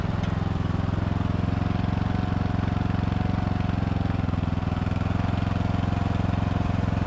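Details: Poulan/Husqvarna riding mower saved from scrap, after cleanup and refurbishment: even steady low thrum at constant idle, no knocks or misses; engine running smooth and healthy.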